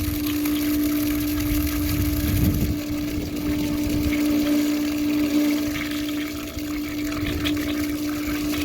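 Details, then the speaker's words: Ditch irrigation pump with foot valve after trapped air was purged; steady even hum with water rush at constant pitch; pump primed and pumping normally. "So there was our issue right there. We had air trapped in it. There it is. So all the air is removed from the pump."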